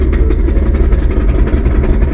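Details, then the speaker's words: 2015 S550 Mustang manual transmission: rapid uneven knocking rattle at idle from the gearbox, not the engine, as fourth gear flies around in the housing; fourth gear doesn't work, clutch and other gears work. "that is fourth gear flying around in the transmission housing it sounds like my piston is about to go to the moon but no that that's the transmission"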